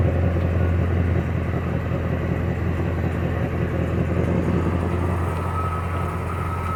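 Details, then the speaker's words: 2005 Dodge Ram 1500 V8 at idle after catalytic converters were replaced with straight pipes and the leaking joints were sealed with exhaust joint and crack sealant; steady low even rumble with no puffing or ticking. The exhaust is sealed and sounds normal at idle. "Here we go. Crazy as it might sound, it has sealed them up."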